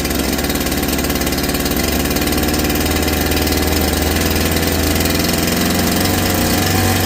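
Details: Holzfforma G372 chainsaw (Farmertec clone), first start after crankshaft seal replacement for a factory air leak that kept it from tuning, chain off, choke off: busy buzzy note holds steady and picks up without surging or hunting, unlike the erratic running before.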